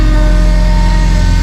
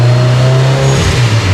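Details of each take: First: Subaru Forester STI build with stock longblock and Precision 6870 rotated turbo, cold start in the high 20s to low 30s °F: loud idle with a steady high whine on top; power steering pump whine, which may need more bleeding. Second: Subaru Forester STI build, stock longblock, Precision 6870 rotated turbo, on dyno after replacing a sensor so it free revs: repeated full-throttle sweeps climb smoothly with no stumble, misfire or cut-out; clean pull making 529 (422), warmer day, slightly less power.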